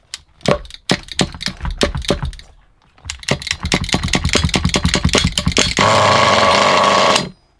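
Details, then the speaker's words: Used HPI Nitro Trophy buggy nitro engine: the pull-start rattles, then it catches and revs to a steady, even high buzz with no misfires. It runs well; the idle screw was adjusted afterward. "That runs quite well so far."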